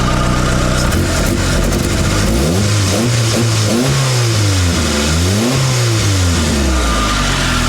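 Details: Mitsubishi Lancer CE two-door coupe after repairs: steady idle, then clean throttle blips rising and falling smoothly with no stumble or hunting; fast idle then settles down, sounding much better; engine light later goes off. Normal idle and revving.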